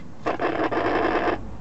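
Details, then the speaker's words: 1988 Ford F150 truck with stalling from a fuel pump that sometimes fails to rotate under load: at key-on, engine not started, the pump buzzes about a second and shuts off cleanly once the fuel rail pressurizes, a normal prime. "now you just heard the thing momentarily turn on until it pressurized the fuel railing because the guy didn't actually start the car yet it um it just came on momentarily"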